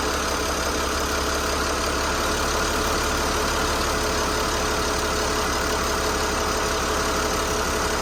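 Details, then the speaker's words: Boat diesel engine after repairs and injector bolt retightening, first start: uneven lumpy idle with irregular banging knocks, shaking, missing and skipping as before; possibly failing injector pump, poor fuel delivery or injectors; rough running. "Banging and shaking and jiggling, kind of like what it was doing before. Almost like it was missing and skipping."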